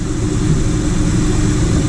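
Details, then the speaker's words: 2005 Honda Ridgeline after AC compressor replacement, engine idling with AC switched from off to on; compressor clicks on, smooth even idle with steady low drone, AC line frosting; normal idle with AC compressor running. "AC off AC on I can hear it click [Music] on there you go we got a working AC compressor baby"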